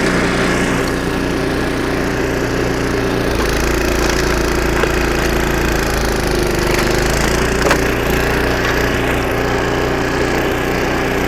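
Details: Snowblower about 25 years old, engine after carburetor rebuild with carb kit and new needle and seat: strong steady drone under load with snow crunching through the auger; normal running under load after repair.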